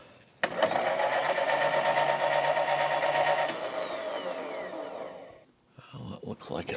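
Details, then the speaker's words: Milling machine table power feed after bracket modification, shaft lubed and gear clearance set: smooth even motor whine with fine steady gear hum, no knocks or grinding; gears mesh cleanly. "Okay, let's put a little power to all of this. That sounds pretty good."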